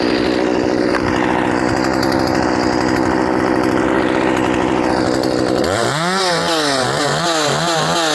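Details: Poulan 2500 Farmhand (2900 equivalent), swapped to .325 chain from 3/8 low profile, started on choke: strong steady cutting drone, then crisp rise and fall on each throttle blip with no sputter or bogging. Normal running.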